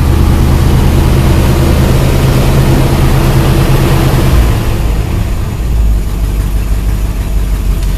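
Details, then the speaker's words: Carbureted engine, ice cold, five hours after carb cleaned with starting fluid to cure surging idle: steady, low, even idle with no misses or knocks, dipping slightly then settling; idling normally. "look at that look at that it's it's still ice cold and it's idle and fine"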